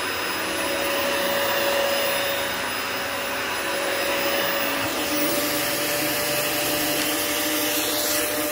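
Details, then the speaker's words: Likely 1999 Cyclone XT-era commercial upright vacuum, early unit: steady strong motor roar with constant clear tone, no grinding or rattle; motor runs healthy. "so yeah thankfully it runs good that's my biggest thing is i'm happy that it sounds good so we'll go ahead and turn it on"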